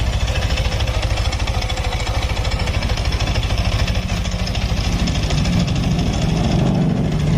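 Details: Yamaha Nmax that stalls and has a noisy engine: rapid, uneven knocking at idle, about three beats a second. Engine knocking; cause not confirmed in this clip.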